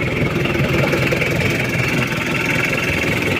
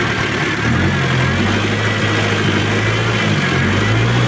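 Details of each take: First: Chevrolet K5 Blazer with Mitsubishi 4D56T turbo diesel after repair and setting, with a mildly modified turbo and new exhaust pipe: steady, even diesel idle clatter with no misses or knocks; limping and white smoke gone, normal idle. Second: Chevrolet K5 Blazer with swapped Mitsubishi 4D56T (L200) turbo diesel, previously poorly set up, low power, limping, white smoke: revs climb and fall lazily, rough uneven note. Worn injection pump rotor head.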